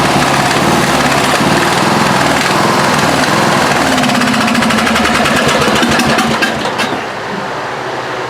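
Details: Craftsman LT1000 lawn tractor, 17 HP OHV single-cylinder, runs rough with an uneven chugging beat, missing and backfiring through the carb. Valves were found loose; readjusting them helped only slightly. Cause not confirmed.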